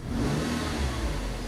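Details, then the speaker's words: 2003 Nissan Altima 2.5S four-cylinder automatic after replacing the MAF sensor for rough idle and code P1102: quick clean snap-throttle rev, rising and falling smoothly, with MAF reaching about 4 V; normal snap throttle. "Yeah, that's much better. Much cleaner. You can see we're getting up to about 4 volts on a snap throttle, which is where we're supposed to be."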